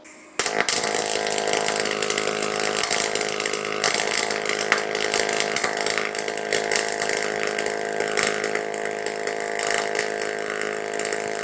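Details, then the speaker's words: YesWelder DP200 double pulse MIG welder in single pulse mode on 16 gauge steel: steady, harsh electric buzz through the whole weld, no crackle, instead of typical sizzling-bacon MIG sound, from the pulse added to the current; weld did not burn through. "So if you were paying attention to the sound on that single pulse weld, you probably noticed that it made a buzzing noise instead of that typical sizzling bacon noise that you hear when you're MIG welding steel."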